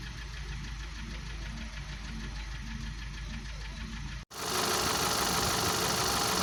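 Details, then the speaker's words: 2012 VW Passat CC 2.0 TSI (EA888 gen 1, CCT), 189,000 km, cold engine after oil top-up: hard regular metallic knock about four per second, louder with revs, unchanged by oil; piston knock, teardown for rebuild. "Ну, звук как был, так и остался. Он не стал, не поменял ни частоту, ни тональность, ничего, все осталось как и было."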